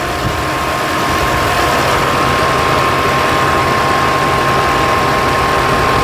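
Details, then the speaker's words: 2020 Ford Escape, code P1299, right after replacing both coolant temperature sensors, start-up: steady high fan whine over quiet idle; fans on full because stored code still reports overheating until cleared. "As you can hear by the fans kicking on and it still thinks it's immediately"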